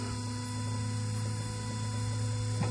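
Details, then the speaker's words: G-body car with an electric water pump, system full of plain water: steady low hum with faint electric whine, louder than normal; the pump has failed and moves no coolant, water barely bubbling. "let me show you clearly a problem you hear how loud it is for one miss PP usually not that loud"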